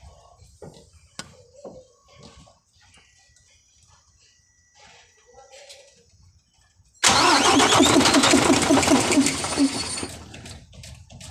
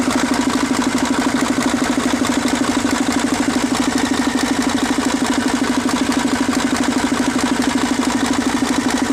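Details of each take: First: Mercedes-Benz 1841 truck: starter spins engine in steady pulses about two a second but it never catches; hard starting from fuel line problem. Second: Mercedes-Benz 1841 diesel truck with a hard-starting fuel line problem: steady, even diesel clatter at constant idle with a firm regular beat and no misses or stumbles; normal idle.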